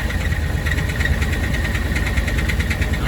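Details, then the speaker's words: 2010 Dodge Ram Sport Hemi V8 with fast steady ticking over lumpy idle, tracking engine speed; Hemi tick from bad camshaft and lifters. "we've got a dodge ram this is a 2009 and it's got the hemi tick it's got a bad cam bad lifters and then we got a 2010 dodge ram sport also with the same problem sounds like that"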